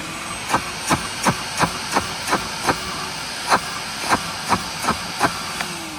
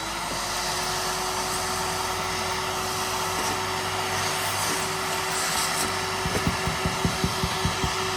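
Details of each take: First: Curbside Craftsman 5 gallon shop vac with a ripped bag: sharp clicks about three a second over a steady motor hiss as debris rattles in the clogged hose. The motor itself is fine. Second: Curbside Craftsman 5 gallon shop vac after the clog was cleared from its hose (debris just came out): steady, even motor hum at one pitch with air rushing through and a few brief clunks near the end. The vacuum runs normally.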